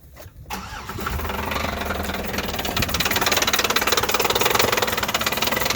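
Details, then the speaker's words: Chevrolet Impala just started: fast, sharp metallic tapping of about four beats a second over the idle; abnormal internal engine noise, engine believed finished. "okay Ryan um started it up already dude very unspecial noises coming from this thing dude"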